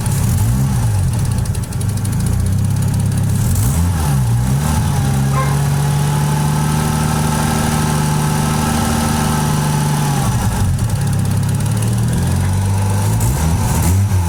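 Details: Toyota 1JZ six-cylinder petrol engine at idle with a fast, light ticking over its steady hum, located around the intake plenum.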